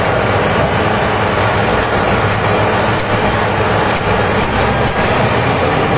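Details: HB365 diesel with EGR-type turbocharger, after repairing turbo that scraped at high idle: steady high idle with even roar, no scraping or chirping from the turbo; turbo healthy after repair.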